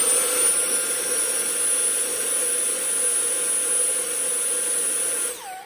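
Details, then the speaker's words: Dyson V6 handheld battery vacuum after the clogged washable pre-filter was removed: steady high whine with even loudness and no pulsing or surging, then winds down; the dirty filter was causing the surging. "So I took that filter out and ran it. It doesn't surge at all."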